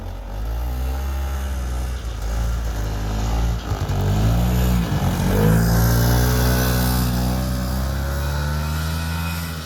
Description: Check out this 1976 Yamaha gp300 snowmobile still running great after 45 years.